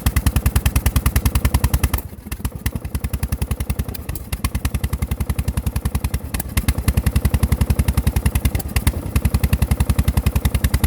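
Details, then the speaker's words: LT1000 lawn tractor engine before a head gasket replacement. A heavy, low thudding knock of about 3.5 per second with stumbling; owner suspects a connecting rod knock and a valve causing the sputter, unconfirmed: engine knock with sputtering. "that very low knock that you hear uh that that sounds it sounds like the connecting rod that very low that very low knock but i don't think that's why you're getting the sputtering i think the sputtering is coming from a valve"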